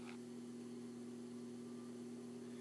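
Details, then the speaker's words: Hampton Bay Littleton 42-inch ceiling fan running with globe and light kit fitted: faint steady mid-pitch buzz, louder on high and in reverse, from one loose light-kit screw; touching it reduced the noise. "it's mainly one of these screws yeah it's this particular screw right here because i touched it the noise kind of went away a little bit"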